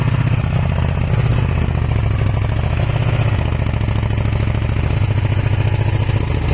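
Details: Kawasaki ER500 twin with white smoke idling with a lumpy, uneven low beat and occasional skipped pulses over a steady rumble; misfire on one cylinder, owner suspects a blown head gasket, not confirmed.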